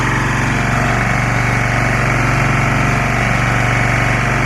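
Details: Lombardini 6LD260 air-cooled diesel on a traffic sign, cold start after 10 years unused, old fuel purged, fresh diesel from remote tank; steady even thump about four beats a second, no misses or knocks, smoking a little, running against the generator; normal idle.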